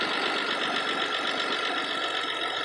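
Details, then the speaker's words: Warm 1986 BMW E28 528e six, run 30+ minutes with coolant about 177°F, the day after repairs and a quart of Lucas oil stabilizer. Steady, even idle, maybe slightly high, with no misses or knocks and no more smoke. "and other than it may or may not be idling high and it runs just fine nice growl response and no more puffs of smoke coming out of those things"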